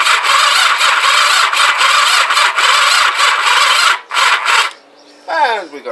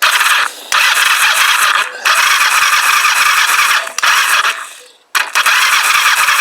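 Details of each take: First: Kawasaki GPZ500S rebuilt engine in frame, start button dead and no neutral light, cranked with choke and throttle: the starter whirs unevenly, drags and slows, and cuts out after about four seconds; slow cranking from a flat battery, swapped for a fresh one. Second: Kawasaki GPZ500S rebuilt engine, compression test on cylinder one with the throttle wide open: high, steady starter whine with brief pauses at an even cranking speed, strong healthy turnover; reading about 145.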